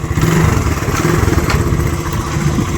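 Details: Restored Honda classic single, kick-start only, first start after the restoration: fires on the first kick and settles into a steady, even low thump with no knocks or misses; healthy idle.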